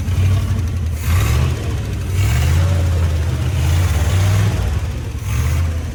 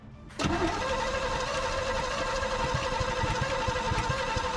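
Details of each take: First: 1955 Chevy with a 283 small-block V8 that sat 37 years, running after new cap, rotor and points, with the carburetor not yet rebuilt and the fuel pump possibly bad. Deep, full rumble swells smoothly with each throttle blip; fires evenly, no miss or knock. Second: 1955 Chevy 283 small-block V8 parked 37 years, new starter, fuel in carburetor: steady even cranking, nothing fires; suspected ignition fault, later fixed by replacing cap, rotor and points.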